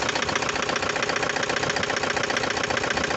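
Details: Toyota Hiace van engine idling: a steady, regular knock at about four beats a second over a rough run, with vibration and excessive white smoke. An engine overhaul was recommended.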